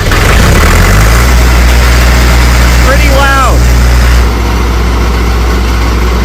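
Steady low engine drone with an even hum underneath, no grinding or knocking; the motor runs smoothly.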